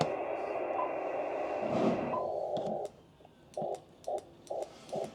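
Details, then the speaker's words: Icom IC-7100 transceiver on test bench into dummy load, 160 m band (1.8 MHz), RF power set 100%: sharp relay clicks as it keys into transmit over receiver hiss, but no power output; transmit relay clicking with no RF output. "it's not even trying it's going into transmit mode you can see the light and you can hear the relay clicking"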